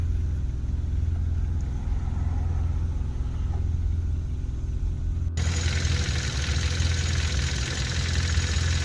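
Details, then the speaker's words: 2016 Hyundai Veloster Turbo DCT GDI engine, fully warm at idle after CRC intake valve and turbo cleaner treatment: a low, even rumble with the usual GDI injector clatter and no stumbles. Sounds fairly normal. "still sounds like a radley tractor like all gdis and if anybody asks that's my microphone so when i'm at the track i just don't i just leave it under here it's not worth taking back and forth it sounds fairly normal"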